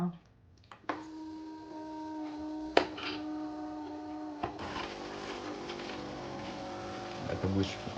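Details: Nivona/Melitta coffee machine squealing during rinse/flush: steady shrill whistle holds several seconds while water flows; leaking crema valve holder seal.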